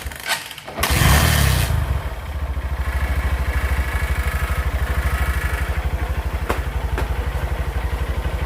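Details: Honda Verza motorcycle that had died completely and stuttered, after clearing a TPS sensor error (8-blink code): cranks, catches quickly, settles into an even steady idle with no misses and responds instantly to throttle; low on fuel.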